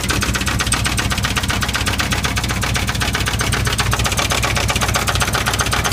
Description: 1979 Chevy K5 Blazer flexplate knocking or 350 engine knocking? Any Ideas?